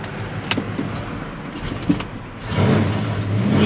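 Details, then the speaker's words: 1971 Chevrolet Chevelle, 350 V8, automatic, headers and dual exhaust, about 92,000 miles, cold: uneven idle rumble, then a little hesitation before revs climb on throttle; otherwise quite quiet. "cold a little hesitation when you get into the throttle she was actually quite quiet"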